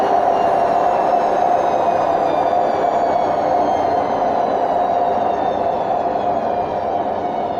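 Steady loud roar with a droning mid-pitched hum through the whole spin, no rhythm to it: worn drum bearings.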